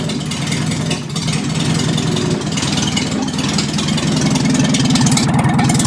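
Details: 1955 Morris Minor, engine and gearbox just installed, no exhaust or downpipe fitted, sticking throttle: loud raw rapid popping bark climbing with revs, completely unmuffled; engine running with exhaust off.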